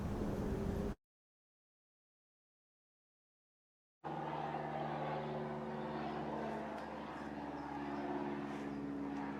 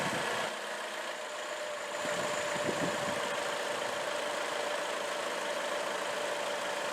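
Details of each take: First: 2004 Chevrolet Classic, GM L61 Ecotec, cheap overhaul at 250,000 miles, clanking and knocking growing louder: running with light steady clatter about four per second; timing chain set failed, plastic chain guide broken in pieces. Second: 2004 Chevrolet Classic, GM L61 Ecotec, budget-overhauled at 250,000 miles, then developed a knock; first start after the repair and reassembly catches and settles into a steady, even idle with a faint whine and no knocking, later confirmed fixed.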